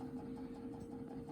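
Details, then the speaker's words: SlantFin gas-fired boiler, no-heat call: touching the Honeywell L8148E high-limit aquastat relay makes the automatic vent damper motor run, quiet steady hum with soft rhythmic pulse; weak intermittent contact, defective aquastat relay. "See? Because now your automatic vent damper is spinning around. It's going to open up again."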